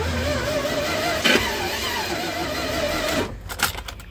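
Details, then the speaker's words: Jaguar Series 3 V12 fed from a small temporary tank, fuel priming before start: wavering mid-pitched whine for about three seconds, then cuts off; owner suspects dirt still stuck in the fuel filter. "more primes i can hear that fuel filter still making a bit of a wine so i think it's stock got um dirt still in"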